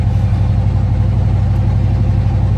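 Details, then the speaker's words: Van's exhaust pipe has fallen off: loud, deep unmuffled blatting roar with a rough pulsing beat under revs, like a badly done hot-rod exhaust; not affecting anything else. Exhaust leak. "s, so if anything, I'm just putting it in my mind that it sounds like a horribly done exhaust on a hot rod. You know what I mean?"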